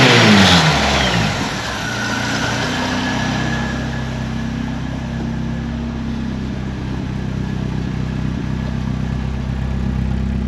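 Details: 1931 Ford Model A coupe with 2.3L four-cylinder, just started and warming up: loud but even idle, a steady beat with no misses or knocking; runs pretty smooth, just loud for a little four-banger.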